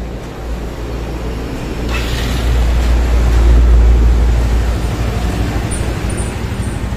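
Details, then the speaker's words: Yamaha Mio scooter engine in a video on compression loss from leaking valves, idling: low, even putter that briefly swells then settles, no knocks or misses; smooth engine, though the exhaust is noted as leaking. "Oke kita matikan dulu ya ini halus guys mesinnya nih ya"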